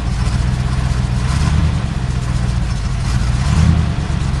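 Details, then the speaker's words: 1978 Oldsmobile Cutlass 403 V8, started after sitting about six weeks, carburetor primed: loud lumpy idle with stumbling beat, still missing but no knock; distributor clicking, earlier knock suspected from distributor, not confirmed. "still missing still missing but it's not knocking no knocking distributor clicking"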